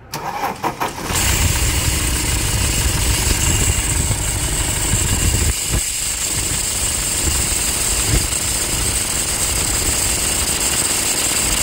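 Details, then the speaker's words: Toyota Hilux 2.5 diesel just after start: steady high scraping chirp over the idle from the alternator, with a bearing noise underneath, pointing to a worn alternator freewheel pulley. "Tudo indica que temos aqui um barulho de alternador pío de alternador esse barulho mais acentuado aí tem um no fundo mais de rolamento assim ó de rolamento"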